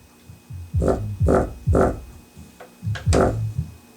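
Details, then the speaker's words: Home-stereo subwoofer playing music: each bass hit brings a buzzy, rumbling rattle over the note instead of a clean thump; the paper cone is split around its edge. "you hear that rumbling that's the problem i just have some free youtube music blaring to it right now i have to put something on the back of it so it doesn't break off the cord going to it but you can hear the rattle in there so that's what's wrong with it"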